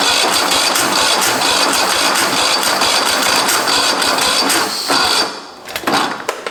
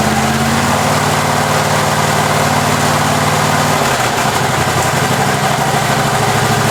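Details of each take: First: Husqvarna 54-inch deck zero-turn mower from a shed, cranked with a little 2-stroke poured down the carb: fast uneven cranking that never catches, a few sputters as it dies; fuel present but likely clogged line. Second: Husqvarna 54-inch deck zero-turn mower from a shed, first start on a new battery: petrol engine fires and settles into a steady, even run with a brief load change midway; runs pretty good, normal running.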